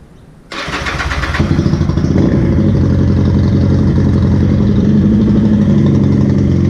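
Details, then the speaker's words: Laro ProStreet motorcycle that had never started, first start after faulty spark plugs found as the cause: catches at once after cranking and settles into a steady, even idle without misfires; normal start and idle. "So dodgy, who'd believe it? Dodgy spark plugs. All right, so I got it running."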